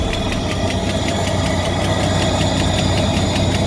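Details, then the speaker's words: 1993 Ford EB Falcon, about 211,000 km, on ramps before catalytic converter replacement: steady idle with uneven rapid ticking knock two or three a second; owner suspects ignition timing is off; rough running, cause unclear. "I'm going to turn down cuz it doesn't sound like it's timed right."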